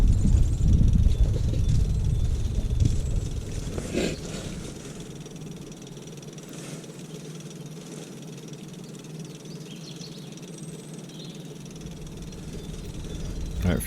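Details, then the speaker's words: Kubota U27-4 excavator after cleaning the gunk-filled fuel water trap: fuel tap on, fuel lift pump runs with a steady low electric hum and a quick regular pulse of about four a second as it primes the lines to purge air; normal. "soon filled up it was a bit tricky to start I guess there was air in the system but not that much air so it would start"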